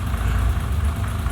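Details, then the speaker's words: BMW E30 M20B25 turbo first start after the no-start was traced to the fuel pump. The pump sounds much quieter and the engine idles with a steady, even rumble with no knocks or misses; it later drove and was taken for its MOT. "okay so moment of truth let's turn it on okay the pump definitely sounds a lot quieter oh yes baby we're in business"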